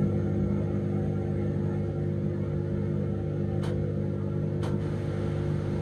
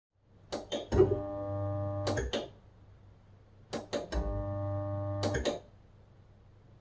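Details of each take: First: Dishwasher idle over two years, first cycle emptying leftover water from the tank; steady low motor hum with even tone and faint clicks; drain pump works normally, while the wash pump later fails to start. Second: Dishwasher idle for a long period; three bursts of steady low electrical hum, each about two seconds with a click at start and stop, as the single-phase wash pump motor gets power but limescale has seized its shaft; seized wash pump.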